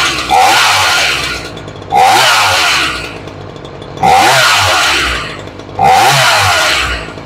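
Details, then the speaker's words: Ryobi 3818 chainsaw after adjusting the low and high carburetor screws, having sat unstarted a long time. Four crisp revs about two seconds apart, each falling cleanly back to a steady idle, idling slightly low. Normal running. "from the way she sounds she starts pretty good and considering she hasn't been started in a dog's years"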